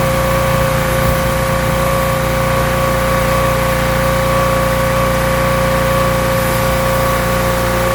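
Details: Rebuilt pressure washer small engine with a known leaking manifold, cleaning a car wheel: steady, even drone at constant pitch under pump load, no misses or surging; runs really well, normal running under load.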